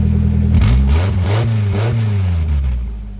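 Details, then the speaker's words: Engine blipped in neutral with the e-brake on, after the rusted exhaust flange was patched without welding but before tightening. It is quieter but still loud and raspy, with a puffing leak at the flange. "It's quieter, but it's still kind of loud."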